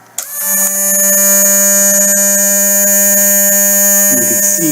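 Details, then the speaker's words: Drive motor in an ICT 6 series bill acceptor with the high-rev type failure. It spins up to a steady, high, unchanging whine while the cogs don't move; it free-spins without driving the gears. "you can tell the cogs aren't moving as it should be. So that one is just free spinning."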